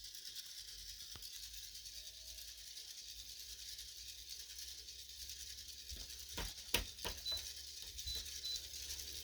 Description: This Bionaire 360 XL purifier started making this noise after just a few months of light use. There are no obstructions or anything inside the fan blade housing. The fan is not rubbing on anything either. It sounds like a bad bearing.